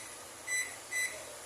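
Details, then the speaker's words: Electrolux microwave that blows its fuse when plugged in and makes noise: keypad membrane test, pressing numbers then cancel gives two short, clear beeps with each press registering, so the membrane is good. "Tem que ativar e cancelar. Então, a membrana tá boa."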